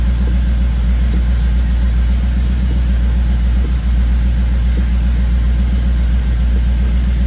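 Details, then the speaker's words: 1994 Camaro Z28 cold start after rear brake line and master cylinder replacement: steady idle rumble with a faint, loosely regular tick about once a second. The abnormal noise persists, cause unknown, and the brake light is still on. "And it's still making that noise, too."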